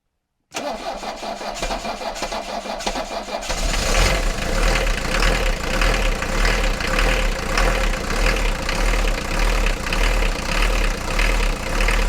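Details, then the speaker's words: Mercedes 240D diesel after fuel injector repair and valve lash adjustment, started from standstill: brief crank, then an even diesel idle clatter with no clanking or missed beats; it previously clanked and smoked heavily, and now runs healthy. "now yeah this sounds really really nice now there's no clanking whatsoever"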